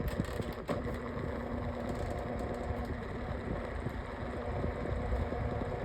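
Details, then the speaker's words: Lasko Windstorm pedestal fan on medium speed: steady low droning rumble with a faint rattly buzz and visible shaking; the abnormal noise has persisted for days, cause not clear. "Listen to that. How awful is that? Is that something or something? I do not know. And then it also does shake. Shaking. Oh my god."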